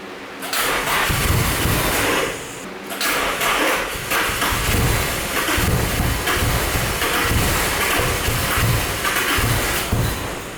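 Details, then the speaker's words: Nissan 350Z DE single-turbo build with igniter chip bypass, ECU stuck in open loop: long cranking with ragged spits and coughs, catching a little but not running; suspected flooded from earlier cranking, black smoke, very rich. "You think maybe from the previous times you were cranking you flooded too much and there's too much fuel because black smoke is fuel so it's really rich right now."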